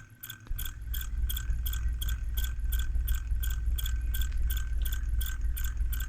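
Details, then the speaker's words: Brüel & Kjær WA 0155 balancing demo unit running with a steady low rumble and light scraping tick about three times a second: slightly bent shaft loading its bearing. "it goes all the way you see it is definitely the shaft that is Bend and you can actually hear the bearing is uh loaded with this kind of problem"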